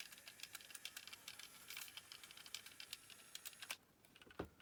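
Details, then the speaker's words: Sharp JC-K70 cassette Walkman (1988) with noisy gears and corrosion; fast light ticking clatter through playback while audio still sounds reasonably okay, somewhat distorted; noisy gear suspected, worn capstans possibly the real issue. "So, interestingly, it's as noisy as can be, but it's still sounding reasonably okay. So that's now making me wonder if I can get away with a noisy gear if I've got decent enough capstans."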